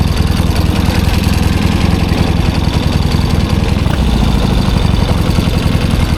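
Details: 1972 Triumph 650 Bonneville twin, laid up since about 1984, after fitting two new spark plugs and with the choke now off: steady, even low thumping idle, smooth and regular with no misses or knocks; normal idle.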